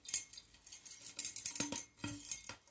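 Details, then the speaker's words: Fluorescent tube recovered from a recycling bin, with its base looking compressed, shaken by hand: light glassy tinkling and clicking in irregular bursts, like a loose fragment sliding inside. Cause suspected, not confirmed. "Il y a un truc qui se balade dans le tube et c'est pas très encourageant quand même."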